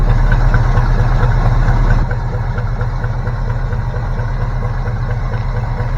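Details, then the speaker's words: 1972 Chevy C20 V8 started cold after 19 years sitting, deep idle with faint quick regular ticking under the hood; source not identified, alternator swaying and a possible exhaust leak also noted. "you can hear some kind of ticking underneath the hood"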